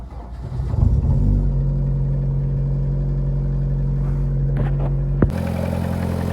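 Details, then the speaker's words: Lada Priora 16-valve 1.6 petrol engine (126), 98 hp, 28,000 km, cold start after sitting overnight: dull steady knock under a fast idle that disappears when cylinder 2 is disabled; piston knock on cold start. "ребята отключаем второй цилиндр стук пропадает Что появляется короче ребят поршень стучит"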